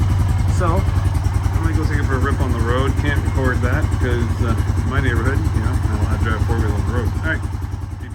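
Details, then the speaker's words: 1998 Honda 450S single-cylinder after carb work: fast uneven thumping that stumbles and cuts out above half throttle, bogging instead of pulling; carb fix didn't cure it, owner wonders if exhaust is plugged, unconfirmed. "once you go above half throttle it costs out so it sucks"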